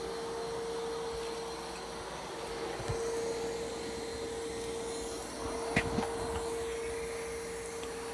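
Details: iRobot Roomba Plus 515 robot vacuum-mop cleaning a corner test area of mud, dirt and long hair: a steady mid-pitched hum with a soft whoosh and the odd bump. Normal operation.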